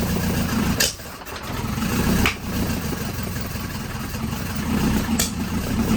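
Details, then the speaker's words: 1983 Volvo 242, manual, B23 engine, revived from the woods, converted from EFI to carburettors: lumpy running that sags and recovers with sharp pops every second or two; owner suspects no ignition timing, doubts lean backfiring given fuel in throat. "Try it again. Try it again. And it could just be, I have a hard time believing it's lean backfiring when it's got fuel coming out of the throat."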